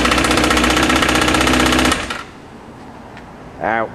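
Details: Suzuki GSXR750 running: hard, rapid metallic hammering at about four knocks a second, severe rod knock.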